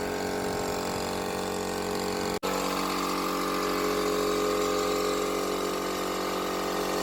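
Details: 24-litre 2 HP 220 V air compressor motor that hummed but would not turn, after capacitor check, lacquering the coils and reassembly: steady even hum, one brief cut, then smooth unwavering run; normal motor running.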